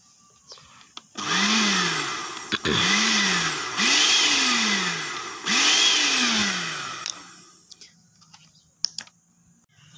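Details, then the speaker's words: Automatic blender with electronic control module: motor whirs up about a second then winds down and stops, repeatedly; buttons barely respond; switch, carbon brushes and crystal judged fine since it still runs, fault attributed to a damaged module. "sudah kita coba Sudah kita Nyalakan jadi hanya nyala sebentar mati sebentar mati ya"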